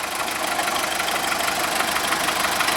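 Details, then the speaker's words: VW Golf 1.4 petrol at even idle with a faint, irregular ticking rattle coming and going every so often; owner attributes the intermittent noise to the water pump, before timing belt job; not confirmed. "Now, we've just started the engine cuz hopefully you can hear the noise. The noise of the water pump."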